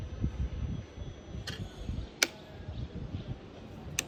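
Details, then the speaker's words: Fuel-injected bike left soaking in rain for three days, won't crank, key cycled on and off several times: only a few sharp isolated clicks, no pump buzz; fuel pump not priming. "what you need to do is turn it on on and off two three times before you can hear the pump sound now thing yet I did not hear a bump"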